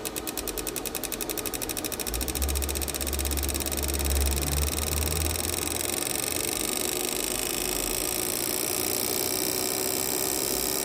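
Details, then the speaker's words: Chevrolet Celta no-start, injectors removed on bench tester during pulsing test after spray and sealing tests: rapid even clicking with light hiss, no skips; injectors pulsing normally, flow about 59–61 each, no leaks. "um teste de spray depois pressão novamente e aí sim ele vai começar a pulsar os injetores"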